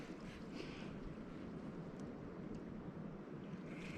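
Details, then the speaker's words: Maple sugarbush vacuum tubing system at spring startup, listened at a valve on mainline three of the dry line to the releaser: steady airy hiss when the valve opens reveals vacuum leaks along that mainline. "and i hear it so somewhere along this main line this would be line number three we have leaks"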